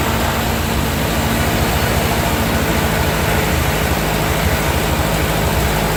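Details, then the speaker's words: 1945 Ford 2N loader tractor just started after rewiring: steady low even rumble with no misses or knocks; about 10 oil pressure and charging; normal idle after start. "Well, it started up. It's sort of got oil pressure 10. Oh boy. And it's charging."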